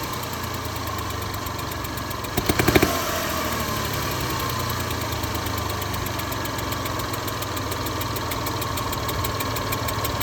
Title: Getting a hissing tick/ knocking sounds in valve lifter area please help diagnose.